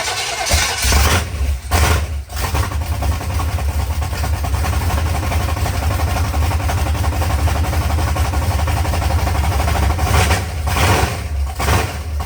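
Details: Freshly built 388 small-block V8 with mild camshaft, oil pressure gauge fitted, first real run after brief firing, in cold heated shop: fires and settles into deep, even, lumpy idle through open pipes, no knocks or misses; normal healthy idle.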